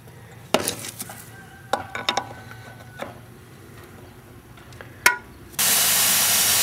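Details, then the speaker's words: Gas meter service valve during a gas appliance install: a few metal clinks as the lock nut is loosened, then a loud, steady hiss starts suddenly and holds as gas escapes at the valve. "loosen the lo n and we open that i think that's bad you can hear the gas escaper"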